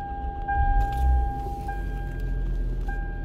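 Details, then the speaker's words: 2004 Toyota Camry, 198,000 miles, after replacing an ignition coil for a misfire: low even idle with no stumbles or skips under a light chime; runs much better, check engine light still on before code erase. "it feels way better but the check engine light is still on"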